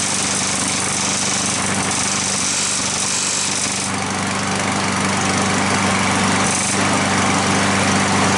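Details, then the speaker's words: Curbside push-mower small engine running at a steady buzz with a light, fairly regular tick that appears when the handle is pushed down and stops when it is lifted. Ticking from a loose engine mount. "did you hear that ticking noise i lifted up the handle it didn't tick but when i pushed down the handle it ticked"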